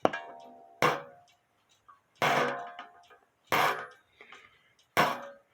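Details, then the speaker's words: Shelf clock with the hammer having no space from the gong: five strikes about 1.4 seconds apart, each dull and choked off instead of ringing; dead strike from the hammer resting on the gong. "you might have some vibration but if it if it hits it and then comes up and then comes back down you're going to get a dead sound so it has to have some space to sound like that"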